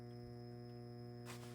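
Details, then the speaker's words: 6J1 tube preamp kit powered by a 12 V 1000 mA wall-wart supply (actually about 16 V) through a voltage regulator: steady low, buzzy 120 Hz ripple hum at constant pitch when the amp is turned up, despite the supply's filtering. "It's probably got some big capacitors in here to do the filtration, but you still hear the hum."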